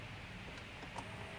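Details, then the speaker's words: Electric lift fuel pump on a Chinese diesel mini excavator at 36.8 hours, after a spider nest was found as the problem: faint steady hum with thin whine, pump running normally and pulling fuel, level rising. "oh yeah you can hear it little dude's ripping got to open that back up"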